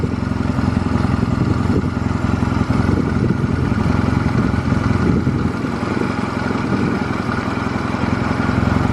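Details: Stored Honda Rebel 250 Special (MC13) small twin at a start-up check, chugging at an even, low idle with no clatter or knock. Normal idle, no abnormal engine noise.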